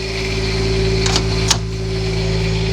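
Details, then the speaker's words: Class A motorhome Quiet Diesel generator just started, after a 10 to 15 second fuel prime, in its warm-up phase, heard near the exhaust pipe: a low, steady, smooth drone with no knocks or surging; running fine. "And that's why they call it a quiet diesel because it is running."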